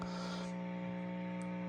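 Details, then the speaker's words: National NC 303 tube receiver on calibrator carrier, heard through the speaker on AM and sideband: steady low mains hum with buzzy overtones that comes and goes. Not cured by diode rectifier swap or added capacitors; owner suspects a tube heater, touching one tube changes it. "anyway you hear that during Side Band and am it comes and goes it's pretty disgusting"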